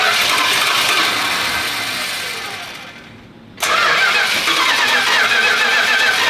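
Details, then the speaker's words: Restored Chrysler 383 V8 with crack-welded block, first start in the car after timing was advanced: starter churns steadily, stops and resumes without catching; fuel hasn't yet reached the carburetor from the rear tank, so it needs priming. "So the reason I keep having to primer it right now is because the fuel hasn't made its way up to the top."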